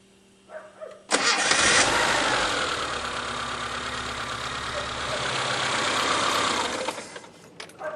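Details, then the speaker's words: Tomasetto LPG reducer after replacing its worn gas solenoid valve (bronze stem wear, excess play): engine cranks, catches at once, runs smooth and even, then multivalve clicks at ignition-off with no gas hiss near the air filter; leak fixed. "Щелкнул мультиклапан при выключении зажигания. Газ не шипит."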